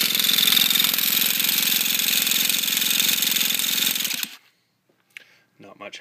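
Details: T-Maxx nitro at stock needle settings (high speed 2.5 turns out, low speed flush), new glow plug and fresh fuel, not yet purged: four seconds of harsh even starter buzz with no firing; cranks but won't start, cause unconfirmed.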